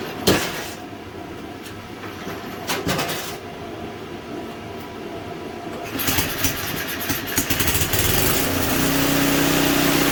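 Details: Simplicity 560 snowblower after tune-up with new oil, spark plug, cleaned carburetor and fixed electric and pull starters: rattling and cranking, then the engine catches and settles into a steady, even hum; sounds healthy.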